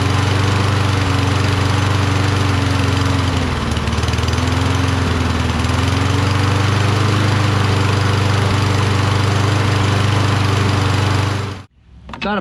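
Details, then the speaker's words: Toro Recycler mower, Kohler XT675, cold with choke closed and starting fluid added: runs loud but unsteady, speed sagging and hunting before cutting out; rough running and hard starting, owner suspects low spark from the magneto, which he then swaps. "but if it's getting low spark it'll have difficulty starting like it's doing now"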